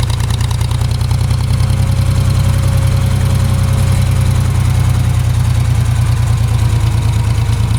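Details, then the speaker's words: Ford 3000 three-cylinder tractor after solenoid replacement, just started: lumpy, uneven low chug at idle, running on only two cylinders; recurring issue that clears after a few minutes. "The Sounds like it's only running on 2 cylinders. Well, let's take it for a ride. It's done this running on 2-cylinder thing before, and after it runs for a minute, then it takes off."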